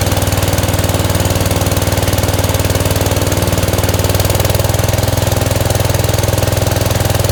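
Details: 1971 Gravely 430 with Onan NB twin, after a Chrysler ignition module fixed weak spark: loud, fast, even chugging at a steady rate with no misses or stumbles; running cleanly.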